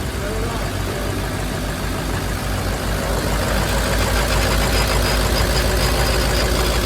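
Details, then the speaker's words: Abandoned Ford F550 diesel on its second start after replacing the lift pump, AC compressor refitted: deep steady rumble with a loud, even turbo whoosh like a jet, no knocks; healthy idle. "sounds like a jet. All right, just like that, guys, she's running nice and beautifully."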